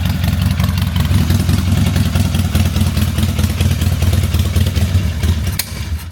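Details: 20+ year old carbureted Harley-Davidson V-twin, refreshed after sitting with new fluids, fuel lines and carburetor: loping uneven-beat idle with deep low thump, no rattles or misfires; starts and settles into a healthy idle.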